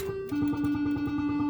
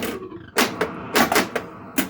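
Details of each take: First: 1980 Bally Skateball pinball machine during a game: plucked bell-like chime simulation tones pulse about six times a second with no background sound; the sound option setting is wrong, chimes instead of expected background noise. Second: 1980 Bally Skateball pinball machine after changing the CPU sound option dip switch settings: background sounds restored, no chime tones, with irregular solenoid clacks and thumps from play; normal game sounds.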